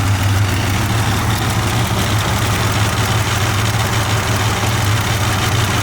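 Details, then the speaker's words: 1987 Buick Grand National turbo V6, 97,216 miles, idling with A/C on at about 90 degrees, exhaust cutouts closed, Super Turbo mufflers: smooth even low rumble, steady beat, no knocks or misses; idles fine. "Cutouts closed. Super turbo mufflers, try to keep it quiet."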